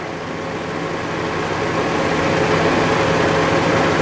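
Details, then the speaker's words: 1998 Saturn SW2 after a new fuel pump install. It previously died within 10 minutes but has now idled nearly an hour without dropping: smooth, even low-hum idle with no stumbles. Owner is stumped; white smoke is suspected from worn valve guides. Normal idle. "fired it up and it's been running for almost uh almost exactly an hour now a few minutes shy of an hour it hasn't stopped or dropped once i'm stumped"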